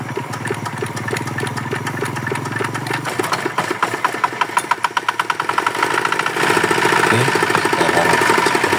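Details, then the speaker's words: Yanmar DX tractor with a Chinese single-cylinder diesel that seized from low oil, test run after replacing the bearing shells: a steady chug that settles and picks up smoothly with no metallic knock. The engine now runs normally. "Oke ternyata mesin sudah normal bagus"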